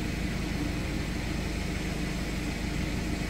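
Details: John Deere X340 riding tractor with its cleaned, reassembled starter, cranked by shorting across the solenoid's two terminals: the engine turns over at a steady, even rate with no clicking or grinding. The starter cranks properly.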